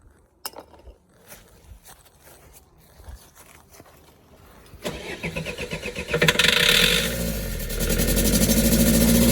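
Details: Vauxhall Vivaro/Renault Trafic 1.9 dCi diesel restarted after a runaway on the motorway. Quiet cranking, catches after about five seconds, then a loud, uneven, rough idle. Smoke seems to come from the intercooler pipe; turbo suspected, not confirmed.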